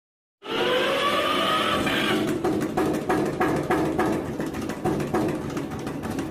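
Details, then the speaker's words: Eicher single-cylinder engine that wouldn't start from low compression; about 25 g oil poured into air intake elbow onto piston, then cranking rush catches into steady single-cylinder thump about three beats per second; running normally. "इसमें जहां से हवा खींचता है वहां से oil डाला गया, तो इनलेट वाल्व से ऑयल पिस्टन पर गया और कंप्रेसर बनाने पर इंजन स्टार्ट हो गया।"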